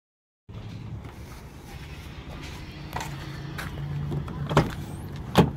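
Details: Ford Expedition after replacing the leaking fuel pressure regulator and dirty spark plugs: engine catches straight away, settles into a steady low hum that swells slightly on a throttle blip, running clean and even.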